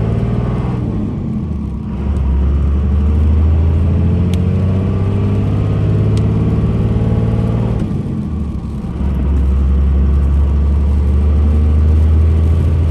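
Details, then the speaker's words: Manual six-speed 5.9 Cummins diesel, 2002 Dodge Ram 2500 4x4, 113k miles, accelerating uphill through the gears: deep even drone rising with road speed, two clean dips at gear changes, no knocks, whine or grinding; normal engine and transmission. "we'll take off and we'll head up the hill so we can have a five nine run as well as put the six speed through all the gears so you can hear for yourself how there is no issues with anything on this truck at all"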